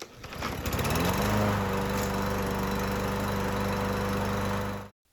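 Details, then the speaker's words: Husqvarna mower with Briggs & Stratton 550EX engine, running after carburetor cleaning to fix a no-start; catches after a few pulls, settles into a smooth steady drone with no surging or missing, then shuts off cleanly. Normal running. "If your mower won't start and it sounds like this, by the end of the video, we'll have it sounding like this."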